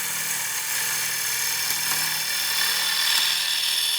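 A steady, even hiss of a gouge shearing wood on a lathe, with no rhythmic chatter.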